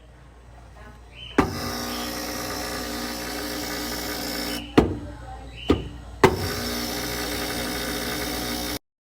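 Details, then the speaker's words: Brastemp BRF36G refrigerator, freezing food with excess ice on cold plate: harsh, loud electrical buzz from the control board, cutting out with clicks and returning; temperature sensor replaced, then replacing the board fixed it. "Observamos um barulho alto vindo da placa."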